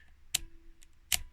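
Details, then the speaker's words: Addo Multo Model 113 pinwheel calculator from the 1950s, previously seized solid, freed and working; going from 9 to 0 pops up the tens-carry lever: two crisp dry clicks with faint ticks between, lever snapping up cleanly, normal. "Obviously if you go to nine it at the moment I go to the next number it doesn't carry over because that is built into the body but it does pop up this 10's carry lever here which is cool."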